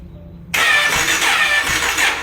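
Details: Jawa motorcycle self-start: high fast free whir with no cranking chug, starter motor spins but does not turn the engine because the one-way starter clutch is slipping.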